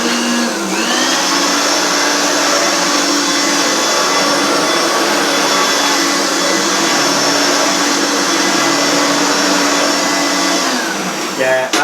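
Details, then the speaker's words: Vacuum cleaner on low power with an old, stretched drive belt, not yet replaced: steady high motor whine with a thin squeak on top and a labouring note; belt slipping. "I haven't put a new belt in. I can hear it squeaking and struggling. You see, the belts do stretch."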